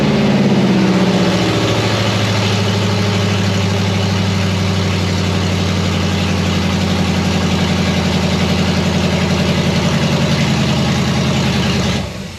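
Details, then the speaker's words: Normal idle of an LS V8 running for the first time in an 87 K5 Blazer on open headers after Fitech LS harness install, fuel system bled and primed; loud deep burble holding a steady idle about twelve seconds before cutting off. "Well, there you have it, guys. It's running. First time in the Blazer. It sounds pretty wicked with open headers."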